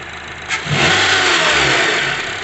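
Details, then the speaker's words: 2012 Honda CR-V engine running after the worn, damaged serpentine belt was removed: catches and revs evenly with the constant top-end knock gone, pointing to the deteriorated belt rather than VTC actuator or timing chain; belt then replaced. "ustedes están escuchando se me quitó el ruido y ese ruido ya me lo ha venido haciendo constantemente entonces aquí le pueden observar le quitamos la banda"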